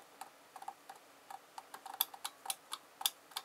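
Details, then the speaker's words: 3D-printed model diesel engine starter with a PLA concertina spring on the pawl, top loosened to cut friction: faint, uneven ticks about three per second with hesitating gaps as the ratchet pawl still catches and sticks; owner suspects it sticks elsewhere. "so I've loosened off this top so that's not person against this like open-topped so much and it's still a bit I can hear it like getting there"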